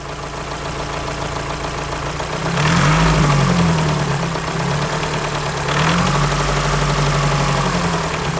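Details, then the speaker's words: Volkswagen Lupo GTi: light quick ticking over the engine through two throttle blips; something slight comes in from about 1200 rpm, smoothing out again below 2000 rpm; top-end valve-gear tick suspected, not confirmed. "it starts from about 1200 rpm 1200 odd rpm you the engine's smooth then you get a slight and then it smooths out again"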